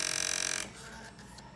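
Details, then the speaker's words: PS2 disc drive rubbing the console lid gives a quick harsh rasping burst, then quiet; fixed by lowering the drive height so it stops scraping without breaking the flat cable. "dinheiro gente é isso aí vai parar de arranhar e não vai partir o cabo flat"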